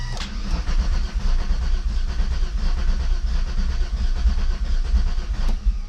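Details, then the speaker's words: VR6 turbo wagon right after a fuel pump swap: starter cranks steadily at about 87 turns a minute with uneven chugging and no catch; owner now doubts the fuel pump and reports a bad metallic engine-bay sound. Crank, no start. "let's try our again we got it's closed mmm so maybe it's not the fuel pump and still wanted a crank crank crank"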